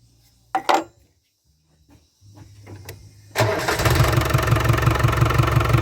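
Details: Land Rover Discovery 300Tdi diesel after a donor engine swap with a mechanical injection pump, new timing belt, alternator, turbo and valve clearances set. A few cranking attempts, then it fires and settles into an even idle clatter with no knock; the oil pressure light goes out. Healthy idle.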